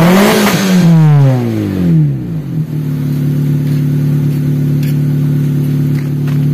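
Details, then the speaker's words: Daihatsu Taruna EFI after tune-up and idle-screw adjustment. A quick rev blip falls back faster than before and settles into a steady, smooth idle with no shake; AFR could still be adjusted. "Coba liatin dulu suara knalpotnya jadi gimana? Lebih responsif nggak? Tuh. Respon yo."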